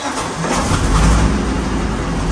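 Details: Sherman tank with a 9-cylinder 16-litre (975 cu in) radial of about 400 hp, both mags on and out of gear, cranked with a couple of pumps on the accelerator: a heavy low rumble builds quickly and settles into a steady, deep, even beat; normal start.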